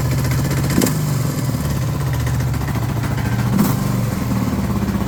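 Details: Suzuki DR650 Dakar SP41B single-cylinder at idle: steady low thump with an occasional sharp clack, about twice in five seconds; abnormal engine noise, source unclear.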